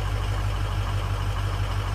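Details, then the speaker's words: Ford 6.0 Powerstroke diesel at idle after a rebuilt FICM was fitted, fuel balanced across cylinders: uneven, lumpy beat with dropped pulses; it runs rough, with cylinders 3 and 5 shown as missing. "You can hear it running bad, and you can see 3 and 5's missing."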